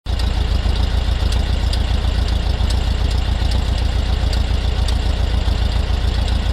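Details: VW Bug running smoothly at idle with a steady low rumble, but an odd light popping/ticking noise comes from around the rear left; cause unknown.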